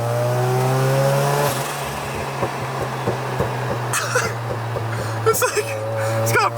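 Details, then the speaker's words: Mazda RX-7 (rotary), not yet tuned, running a burble tune while driving. The note falls away, then irregular sharp pops and crackles on the overrun; the car sometimes dies at idle because it is untuned. "i got a burble tune let me just download it off my android real quick"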